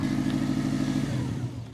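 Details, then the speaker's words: 2007 Subaru WRX STI, abandoned with a blown engine, first start after the engine rebuild: rough, raspy idle with a hollow puffing edge before dying away; an exhaust leak, apparently from the EGR port on the right side. "I think you have an exhaust leak you [Music] think it runs it's got a rough exhaust Le where is"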